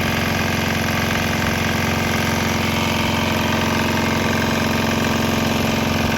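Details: Swan X 165F Chinese single-cylinder diesel restarted on 100% used canola oil with about 10% diesel residue: fast even chug about three and a half firings a second, no misses; running fine.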